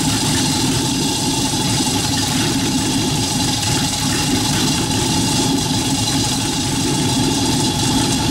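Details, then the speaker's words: Rat rod truck engine idling, driving converted York AC compressor pumping air for airbag system, pressure switch set about 85-100 psi: steady even idle with constant drone from belt-driven compressor filling tank quickly; normal idle. "so I'm crank it up and just let it idle to show you how fast this builds up pressure idle"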